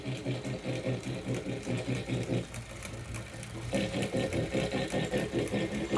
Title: Kickr Core grinding noise